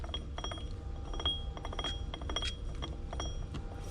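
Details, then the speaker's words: Can-Am Renegade rear differential, re-shimmed with notched shims before race season, ring and pinion rolled slowly by hand: light uneven clicks and faint gritty grinding as teeth mesh, slight backlash; judged shimmed right, normal gear mesh. "all right so this is what I think is shimmed right you'll hear that grinding"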